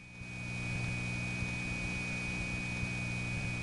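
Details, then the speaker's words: 1979 Raleigh NC analog phone line on balanced power from an outgoing trunk circuit over a long wire trunk group. A thin, steady high squeal over a low hum on an otherwise quiet line. Crosstalk from other trunks leaking into the connection. "this would be pretty close to dead silent because this is balanced power except for the fact that this is a long wire trunk group and there are squeals from other trunks sort of leaking into this connection"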